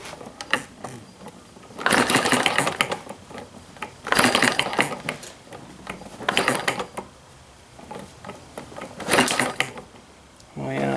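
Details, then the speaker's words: Hit-and-miss model gas engine kit: sharp crackling snaps in bursts every couple of seconds as the spark jumps through the thin plug-wire insulation to ground, weakening the spark. "i can hear it snapping here oh yeah big time that's hampering our spark so there's your problem"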